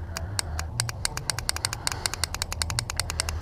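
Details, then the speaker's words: Cafe racer motorcycle's starter relay, an electromagnetic momentary switch, fed power during rewiring. Sharp, crisp clicks repeat about eight times a second with nothing dragging between them. Normal starter relay click. "when you feed power to this you're gonna hear it click you guys hear that clicking this is an electromagnetic momentary switch"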